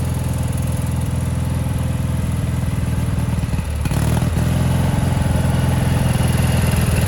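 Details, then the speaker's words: 1987 Gravely Professional 18G riding mower, Kohler Magnum 18 hp, original carburetor: deep even thump that drops away and picks up with no throttle input, linkage moving on its own; surging from a carburetor out of adjustment. "It is acting sporadically all on its own, basically changing throttle settings without us moving the throttle lever up top."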